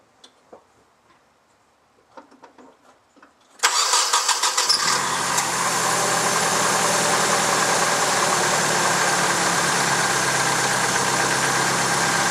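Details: Fully built engine that developed this a few months after the build: cranks, catches, then idles evenly with a fast steady light tick on top. Suspected lifter tick.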